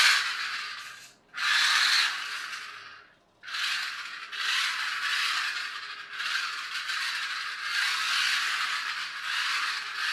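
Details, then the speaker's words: Small toy car running on the floor, noisiest in reverse, with a 3D-printed replacement gear that wobbles, before proper gears were fitted. A fast, rough, raspy gear rattle mixed with wheel scrub; noisy, poorly meshing printed gear. "I think it's in Reverse its noisiest some of the noise you can hear is the wheels spinning as well so it's not entirely obvious what I'm complaining about"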